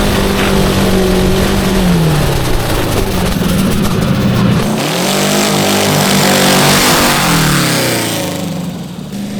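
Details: Homemade go-kart (~900 lb with driver) with a transverse V8 on carburetors: revs climb smoothly, then the note turns ragged near the top, breaking up at mid-high rpm; owners suspect needles need dropping, possibly gearing.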